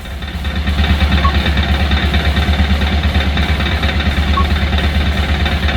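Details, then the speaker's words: Engine read by scan tool at 78°C coolant and 1000 rpm idle, suspected abnormal during an engine management sensor and actuator check: the idle is lumpy and unsteady, pulsing about three times a second. "engine sipitnya 1000rpm ya kemudian kita lihat di sini kita curiga ini mesin tidak normal ya"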